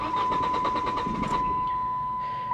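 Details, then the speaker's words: 2002 Saturn SC2, dual overhead cam, 157,000 miles, at auction; steady starter pulses, about seven a second, go on over a second before it fires — long crank, hard start, check engine light on (cause not confirmed). "check engine light is on as I figured it would be because of how long it took for it to crank"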